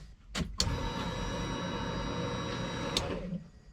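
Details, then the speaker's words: Turbo M50-powered BMW E30 (500whp): low-pressure fuel pump primes after re-closing a metal clip, a low steady hum for about three seconds with only a faint whine, much quieter than the high-pressure pump; normal priming. "damn that's way quieter than the other one since it's not a high pressure it's not whining like crazy"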